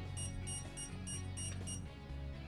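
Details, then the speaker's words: All-Sun EM3252 auto-ranging multimeter during high-voltage test: rapid high-pitched beeps, about four a second, over low hum; over-voltage warning beep, meter survived undamaged. "good so we're definitely getting that high pitch indicator and it does not seem to be do anything nasty with the meter so it did survive the high voltage test"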